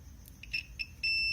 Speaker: so whenever you connect the two tips here it will make that sound and what I'm planning to do is map these colors to these points here